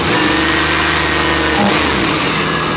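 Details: 1991 Chevy Blazer 350 TBI engine from a rollover, run to warm up: even note climbing cleanly on throttle and settling smoothly, no misses, knocks or stumbles; healthy.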